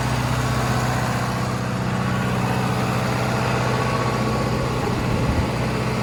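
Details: 40 kW John Deere diesel generator trailer at 3722 hours: steady, even diesel thrum with a low regular beat, no knocks or misses; normal, healthy idle.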